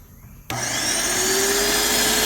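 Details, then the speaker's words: Graco airless sprayer, about 9–10 years old and stored, in prime mode: pump kicks on abruptly and whines steadily without loading up or shutting off; debris stops the spring-loaded check-valve balls seating, so no pressure builds; fixed by cleaning. "And if they get a little debris in there, they can't move. So they can't seal off. So it'll just keep running and running."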